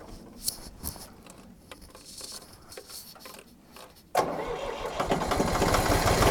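Starter kicks in and the engine turns over steadily, roughly three to four compressions a second, but never catches; cranks, no start.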